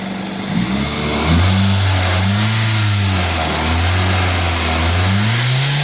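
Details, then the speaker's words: 2000 Toyota Celica GTS 2ZZ engine idling high and hunting at 1400-1500 rpm, IAC duty cycle 60 percent, swelling and sagging without throttle; owner suspects idle air control valve or vacuum leak, unconfirmed. "idle air control duty cycle is at 60 percent but I think I think the rails are too high now we're at 1500 holy folks"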